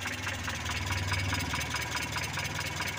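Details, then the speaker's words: Mitsubishi Colt T120 petrol engine idling, used to haul sand and farm produce; distributor turned right, timing advanced: more power but a slightly uneven, rough-sounding idle with a slight lope, no pinging. "Kalau agak ke kanan diarahkan ke kanan baru semakin ada tenaga jadi kompresinya agak bertenaga tapi agak arang-arang gima gitu suaranya mesin teman-teman tapi tenaganya"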